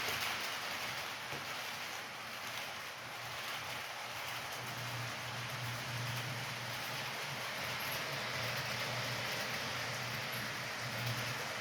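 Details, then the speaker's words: Homemade HO scale Union Pacific 4-12-2 locomotive with swapped motor, pulling 28 cars uphill; steady low motor hum under wheel clatter, pitch sagging slightly as it slows on the grade, running normally under load. "28 I still got to do a tender on it that's going uphill so it slows down a little"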